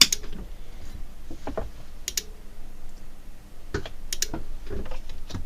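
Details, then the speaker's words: Cambridge Audio Minx Air 100 wireless speaker on the bench, powered up with the case open: scattered dry rhythmic clicks every second or so, no hum and no lights; no-power fault later traced to the switched-mode power supply. "Can you hear that clicking? Rhythmic clicking. I think you can. And interestingly enough, there's no flashing lights or anything else."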